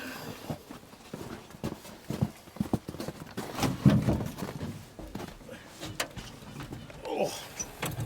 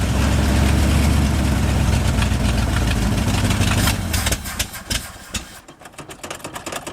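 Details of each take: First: 1971 International 1890 plow truck, sat since 2001, carb rebuilt and fuel line replaced, float bowls filled: uneven cranking at about three turns a second with sputters but no catch; no fuel yet seen at the filter, possibly flooded. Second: 1971 International 1890 plow truck, abandoned since 2001, after carburetor rebuild and fuel line replacement: low, steady lumpy idle holding on its own for a few seconds before dying away; normal idle.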